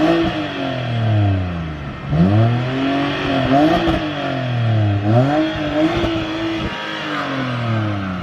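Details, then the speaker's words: BMW 330i E90 with N52 straight-six, cheap purchase with past extended oil changes (about 20,000 miles) and oil-cap build-up, revved: smooth, even revs climbing and falling cleanly several times, no knocks, ticks or rattles; healthy engine revving normally. "and that is exactly why the n52 is a legendary engine it just sounds so so good"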